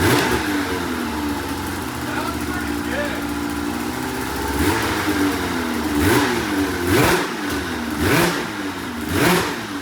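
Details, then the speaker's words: 2004 RMK 800 two-stroke snowmobile, first start after fresh fuel and head O-rings: fires up and picks up cleanly through four quick throttle blips, no misfire or rattle; normal running. "oh wow it actually sounds pretty good"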